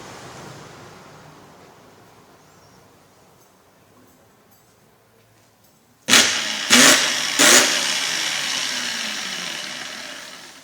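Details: Truper polisher/grinder that would not start, tested by wiring directly with alligator clips: three short whining surges then a weak, rough wind-down, heavy sparking and burning smell; armature suspected shorted or burnt, not just brushes.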